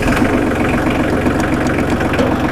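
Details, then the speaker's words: Small 25 hp four-wheel-drive diesel tractor with power steering, 502 hours, one careful previous owner, just started: firm, even diesel clatter at a steady idle with no misses or uneven beats; a normal, healthy idle. "Let's see if we can't fire this baby up and let you hear what it sounds like. Ain't nothing like a diesel running."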